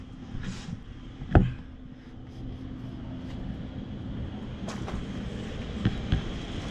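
Steady low roar of the burner still firing, with a few sharp clicks from handling while the air is bled off.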